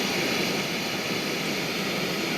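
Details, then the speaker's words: 1971 JCPenney 1758 solid-state stereo recovered from attic: steady even hiss, no hum or crackle, pronounced in the right channel and varying with volume; left channel nearly silent. "there's a lot of hiss in the right channel it's really pronounced it does vary with volume"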